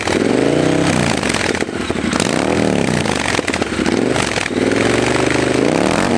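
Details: Triumph Bobber twin after installing a Motone Customs H-BOMB exhaust, revving in repeated blips: crisp, throaty exhaust note pulling cleanly with no misses or pops; running healthy.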